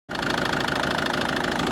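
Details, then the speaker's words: Ford Focus 2 1.6 diesel, newly developed knock: idling with rapid steady tapping knock over the rattle, heard from below, seemingly normal from above; cause not pinned down. Engine knock. "Ford Focus 2 дизель 1.6 стук интересный двигателя здесь как вроде бы нормальный сверху СТ снизу вот такой вот Сток"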